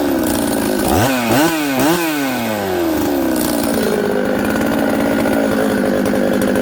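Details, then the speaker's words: Newly built Buckin's 266 chainsaw that ran poorly from an air leak, now fixed by sealing the oil pump O-ring with assembly silicone and retorquing; crisp clean throttle blips then a steady even idle that settles quickly, good in any orientation. "wow okay friends uh i had the saw running there you can see it starts it idles it settles down quickly i can flip it all around it's good"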